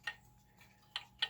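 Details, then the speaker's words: Level-check demo: pickup connected to a German time/strike pendulum clock movement on brackets picks up ticks with unequal long-short gaps over a quiet room, so the clock is out of beat before leveling and crutch adjustment. "and if we listen to it we can tell that this is completely out of beat right"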